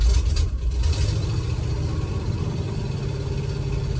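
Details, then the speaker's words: 1972 Ford F-250 4x4 Highboy V8, 117,000 miles: rough idle with a sharp puffing tick on each firing pulse, loud with hood open, quieter on the road; exhaust manifold gasket leak, gaskets blew after manifold resurfacing, one broken stud on that head. "Oh, I hear that exhaust leak. Oh yeah. When you're going down the road, it isn't bad. If you open the hood, it's really loud."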